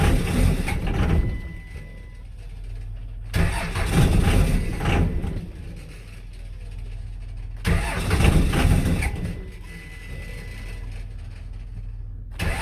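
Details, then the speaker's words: 5.9L 24-valve Cummins diesel, crank sensor ground wire fixed: heavy low chugging rises and falls in surges as the cold engine fires and clears, rolling coal, rough but running. Cold diesel start. "There she goes, boys. Rolling coal."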